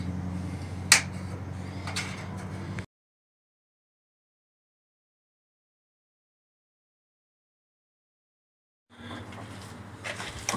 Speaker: this water heater right here is making this noise i'm gonna show you how you're gonna fix this problem and it pipes are like vibrating if you attach even the water here